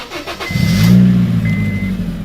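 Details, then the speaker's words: Car's first start after fitting a new Amazon muffler with welded exhaust: quick catch, then a smooth, fairly quiet low rumble; starts and runs cleanly and sounds good. "Oh, it sounds quiet. It's like, it sounds good though."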